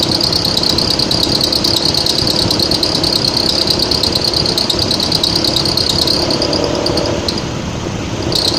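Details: Mitsubishi ASX 1.8, warm engine, air conditioning on, about 1100-1200 rpm, hot weather: constant high shrill belt squeal over a buzzing idle; alternator lacked an overrunning clutch, fixed by replacing it with one that has it.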